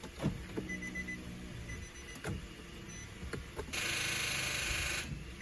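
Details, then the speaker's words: 2010 Infiniti G37X on jumper cables, battery recently replaced, sat while owner away: key turn gives only faint clicks and a chime, then a steady electric buzz about a second with no cranking; won't start, starter or battery suspected. "then I try to start the car and nothing just that sound car won't start"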